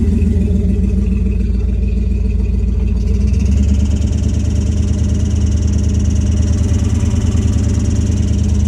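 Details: Vehicle making a noise when shifted into neutral, sometimes also while driving: steady engine drone, then a thin high-pitched hiss or whine joins after a few seconds and persists; source undetermined.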